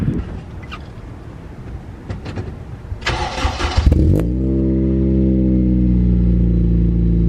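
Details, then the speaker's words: Honda Civic EP3 Type R, cold start: starter whirrs briefly, then the engine catches and settles into a steady, deep, even idle with a throaty exhaust note; sounds healthy. "yeah guys how good does that sound legit"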